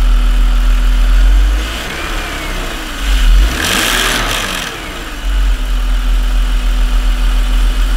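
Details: BMW M54 inline-six idling with a brief blip and a loose rattle over a low hum from a failed Dorman DISA valve. On removal the flap unit was found coated in oil, and it was replaced with a new unit.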